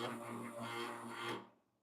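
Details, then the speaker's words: Lelit Bianca espresso machine during a shot, after being dismantled and reassembled the week before: dry, raspy rubbing like something touching inside for about a second; no contact point found, source unclear. "okay okay so that sounds like something's touching but the fact is I mean last week I actually dismantled the machine and put everything back together there seems like there's no touching point so I'm not quite sure"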